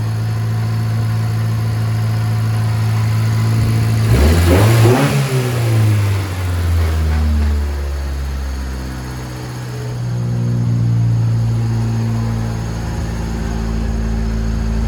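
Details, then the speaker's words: 1995 Honda Civic coupe (VTEC), after an idle air control valve replacement, check engine light on with the same code. Fast, steady idle at about 2,000 rpm, dropping toward 1,500–2,000, with a smooth drone. Cause unknown; possibly normal for VTEC. "The check engine light is still on, and for some reason right now the RPMs seem a little up, or seem a little high actually. So the RPMs are right now are at 2K."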